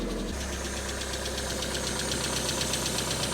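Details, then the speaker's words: Fire-damaged Mk1 Mazda MX-5 (Miata) after replacing the ECU and both immobilizer parts, including a new key barrel: steady, even idle with a regular firing pulse, no misfire or stumble; much smoother than before. "that is a smoother engine sounds loads better that's loads better"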